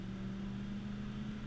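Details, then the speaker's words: 1996 Ford F250 4x4 with 460 big-block V8 and automatic overdrive, about 3/4 throttle up a hill: deep, even drone rising in pitch with no knocks or misses, normal acceleration. "got about 3/4 throttle for acceleration up the hill"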